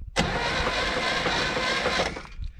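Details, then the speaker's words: 1964 Chevrolet Impala 283 V8 that sat since the 1970s, plugs removed, with a replacement battery after the original seemed weak: brisk, even starter whir for about two seconds without labouring. Normal cranking. "the good news is it's cranking so let's throw the spark plugs back in this thing"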